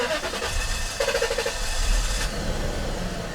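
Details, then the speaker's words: 1996 Mercedes S420 V8: slow labored cranking before catching, then shaky uneven running; hard start caused by large intake vacuum leak from an opening, catalytic converter rattles slightly. "see it was kind of a struggle for it to start but it did start it shakes but because we have huge vacuum leak"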